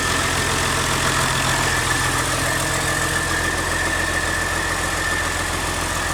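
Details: CAT C13 diesel after rebuild for destroyed camshaft, lifters and general wear: steady, even idle with a faint constant whine and no knocks or misses; normal idle.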